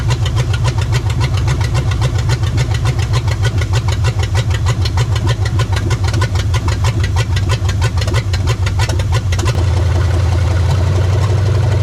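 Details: 1975 Chevy Nova 350 four-speed, sitting since 1987, restarted after fuel line and oil work. Lumpy, loping cold idle with uneven pulses that smooths and rises near the end, likely as the choke works; unsettled cold idle, junk burning off the headers.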